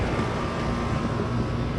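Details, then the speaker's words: 2004 Lennox Merit 10ACC 3.5-ton (42,000 BTU) 10 SEER air conditioner running: steady rough hum with faint high tone on top; compressor sounds a little sick, cause unclear, maybe overcharged, though unit works fine. "So, yeah, the compressor sounds a little bit sick in this thing. I don't know why it sounds like that. Maybe overcharged, but other than that, it works completely fine."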